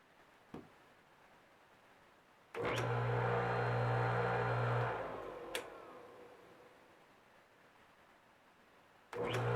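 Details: Old electric motor from a tool, cleaned after its spring-loaded centrifugal disc clicked it off on earlier tries: starts with a firm steady hum, runs smoothly at even pitch, then winds down quietly. It is now running normally.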